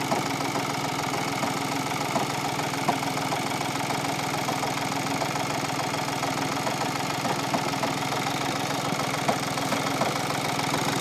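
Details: 2015 VW Polo 1.4 TDI, 30k miles, previously crash-damaged: clunking diesel idle, about three to four rattles a second shortly after startup, stops when clutch depressed; failed dual mass flywheel, replaced with new clutch.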